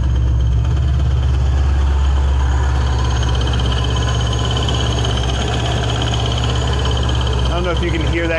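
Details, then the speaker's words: 2006 Ford Mustang GT 4.6 with ProCharger at idle; faint uneven tick over constant supercharger whine, seemingly from behind the ProCharger bracket, belt loose; crank pulley adapter bent/loose or pulley bearing suspected: bad pulley bearing. "a weird like bearing tick but it's not really a tick um the higher pitch noise is just the supercharger it makes that all the time"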